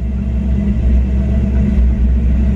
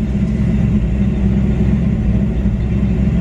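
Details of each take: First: 1994 Ford Mustang GT V8 with a bad idle, during the OBD1 KOER cylinder balance test: deep rumble that turns briefly lumpy as each cylinder drops out in turn. Code 9 confirms all eight cylinders firing properly. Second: 1994 Ford Mustang GT during OBD1 KOER diagnostic test for bad idle: loud low rumble with an uneven, lumpy pulse; rough idle, sounds like misfiring, cause unknown.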